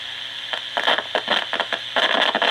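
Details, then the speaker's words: JIL/Candle JCR-355 clock radio on AM: quiet hiss broken by irregular bursts of scratchy crackle each time the volume knob turns; dirty, worn volume potentiometer. "you can hear the scratchy volume control that's a problem this control here is scratchy"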